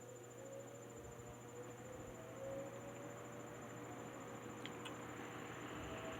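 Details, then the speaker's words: Wizard window box fan with original motor rebuilt, bearing caps swapped from a Lakewood X22, bearings cleaned and oiled, on low speed: soft steady hum with an even tone, no ticking, scraping or wobble; normal running. "we'll start it up on the Let It Let's start it up on the low"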